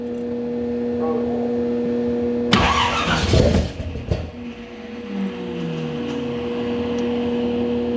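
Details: Monte Carlo engine swap, first start after oil pressure was confirmed at about 60 with oil reaching the pushrods: a short burst of cranking, then a steady, even idle with no knocking or ticking.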